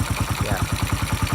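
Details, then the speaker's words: 1995 Honda Win 100 single with a fresh rebuild (piston, connecting rod bearing, clutch, gearbox) and a new valve job, local aftermarket (non-original) muffler: steady, even thump with no ticking or knocking. Very good idle. "Yes, very good idle. Very beautiful muffler."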